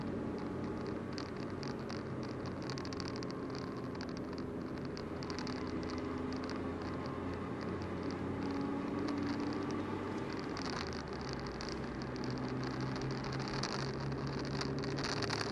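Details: VW Golf 4 idling: steady hiss and hum with a faint, uneven metallic rattle from the broken exhaust, a loose pipe joint.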